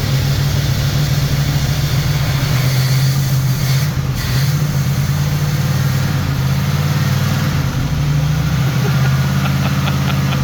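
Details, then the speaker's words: Turbo Trans Am at first start after partial overhaul: cylinder heads revised, new camshaft, valves adjusted, new turbo, break-in oil. Held at raised rpm for a 30-minute break-in. Steady, smooth raised idle with an even low drone and no knocks or ticks; oil pressure good. Normal fast idle. "Uh the car was starting out and I start to uh I started the breakin period. Now I let it run for 30 minutes in this RPMs and then braking time is done. Sounds good so far."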